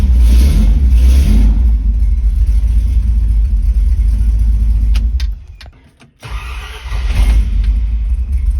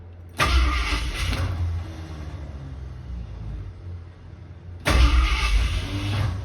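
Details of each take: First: Ford Torino with headers, after fitting a new mini starter: strong even run, brief cut, then engine fires at once and settles to a steady idle, no choke used; normal start. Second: Ford Torino cranking: two short harsh cranking bursts each dropping into freewheeling whir as Bendix gear kicks out of mesh; starter bearing also sounds bad, engine slow to start.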